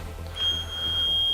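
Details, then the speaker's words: Tecnam P2002 light airplane during cold-and-dark pre-flight cabin check: one steady, high-pitched beep of about a second as the stall warning is tested, showing it works normally. "can hear the loud beep. It indicates that it is."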